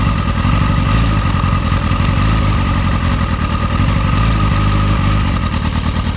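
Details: Motorcycle with a rough idle for the past few days, before the spark plug change: a lumpy, uneven beat with the engine speed wandering. The owner suspects the plugs; the cause is unconfirmed.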